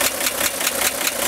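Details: 1965 Corvair air-cooled engine at idle: quick light ticking, four or five taps a second, from top of engine near fan, began 2-3 weeks ago and worsening; tightening fan belt reduced it only slightly, cause unknown.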